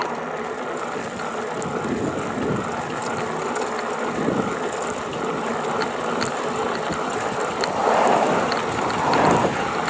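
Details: GoCruiser electric drive held between 670 and 725 watts: uneven ratcheting rattle over the motor hum; source not found.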